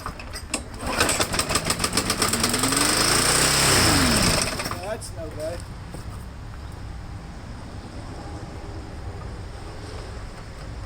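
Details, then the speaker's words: Lawn mower being prepped for resale, running without air cleaner, had been surging and hunting: engine screams flat-out at constant high speed, unGoverned, then drops; throttle held wide open by a bent linkage piece. "we got a little throttle problem here. Let me see what's going on with that."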